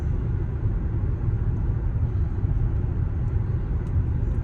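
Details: Car's former Cooper Endurance Plus tires roared after rotation; after swapping to used Michelin Premier tires, cabin at about 65 mph has steady low road rumble and light wind hiss, no speed-rising drone: quiet tires, roaring gone.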